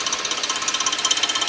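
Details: 2006 Suzuki 2.7 V6 engine: fast, even metallic ticking around thirteen clicks a second, steady with no other engine sound; cause unclear.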